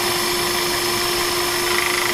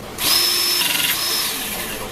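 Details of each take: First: Pinchen HL-400B cordless hydraulic crimping tool after O-ring replacement for oil leak: pump whirs up with a rough, fast chattering pulse about four per second, dropping off on release; noisy pump, air heard in the system, suspected not bled. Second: Pinchen HL-400B cordless hydraulic crimping pliers, tested after bleeding air during an oil leak repair: a steady high motor whine with no popping, so the pump runs normally without air in the hydraulics.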